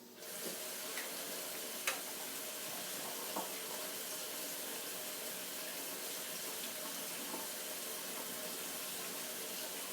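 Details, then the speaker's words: Stovetop pressure cooker after cooking pinto beans, cooled under running cold water: steady water rush with soft even hiss and faint sizzle as pressure releases until the air vent cover lock drops; normal venting. "the other way is to Simply run cool water over the pan Now watch how quick this"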